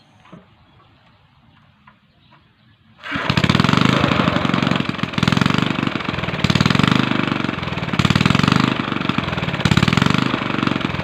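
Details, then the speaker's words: Small gasoline engine fires after about three seconds, then hunts up and down roughly every 1.5 seconds; surging idle blamed on a rotten carburetor, proven by swapping carburetors between two engines. "Bale ang nakita naman ninyo na dalawa na silang makina Nat taas baba na ang angar"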